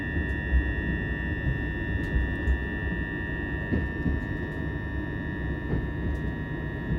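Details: c2c passenger train to Shoeburyness: steady, high-pitched electrical buzz at one pitch over the low rumble of the moving train, reportedly present for years on most of their trains; cause unknown, possibly a fault.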